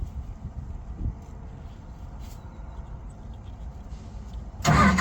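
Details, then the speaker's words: LeeBoy motor grader diesel, lost key, wires tested before fitting a Kubota-type universal ignition switch: quiet low rumble, then a sudden loud churning as the starter engages when the crank wire (terminal 50) is touched; starter circuit works. "hear that so that mean this is 30 and that one's 50 because it tried to crank the engine over"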